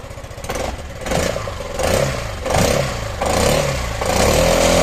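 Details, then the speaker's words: 2016 Yamaha XMAX 250 scooter, exhaust with no leak but very noisy, revved in bursts: loose tinny rattle rising with each rev over the exhaust note, possibly broken internal baffles; rattling exhaust when revving. "belli egzoz sesi bu şekilde kaçağım yok ama bayağı gürültülü"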